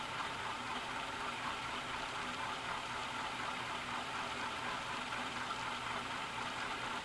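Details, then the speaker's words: 1991 Canarm PF-36 fan after cleaning out dirt and stove grease and adding one drop of 3-in-1 oil, on high speed: a steady dry rushing whir with a gritty edge; noisy fan bearings. "it's really noisy now though and I mean it when I say it's noisy here's High"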